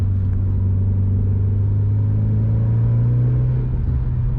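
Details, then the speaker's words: Warm Mitsubishi Lancer Evo IX FQ360 by HKS (366 hp), in 4th gear at about 2,500 rpm with full throttle: a deep drone climbs smoothly as the turbo spools instantly. Strong, clean, torquey pull. "You put your foot down and you can instantly hear the turbo spool. Loads of torque there, gives you a real kick."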